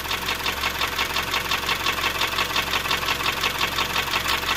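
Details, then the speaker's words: 2003 Honda CR-V K20A4 at idle after a valve adjustment; the noise began after hard, high-rev driving: a crisp, very regular tick-knock about three times a second persists. Owner first suspected camshaft galling, now suspects a rod or something loose in the bottom end; not confirmed. "now I'm starting to think it sounds like a rod or something is moving around down there"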